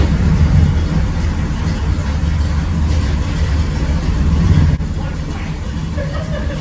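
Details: 1979 GMC Caballero big block, after the leaking header-to-exhaust donut joint was repaired: a deep, steady burble and a clean rev with no ticking or puffing. The exhaust now sounds sealed and normal.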